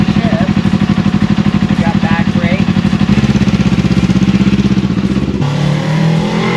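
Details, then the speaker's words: Old twin-cylinder motorcycle, previously not running, after carburetor cleaning, new sponge air filter and battery install, riding off: even steady beat with no knocks or misses; runs like new, normal running. "I swear this runs like as good as it did like when it was brand new from the factory."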